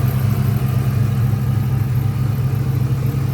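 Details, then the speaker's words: 2004 Ford Mustang Mach 1 V8 idling cold before reaching operating temperature, thermostat replaced with engine install: deep uneven loping idle about twice per second, no clear hiss; rough idle, owner suspects exhaust or vacuum leak or bad O2 sensor. "So, thermostat, everything was replaced when the motor was put in. I'm under the impression it may have an exhaust leak."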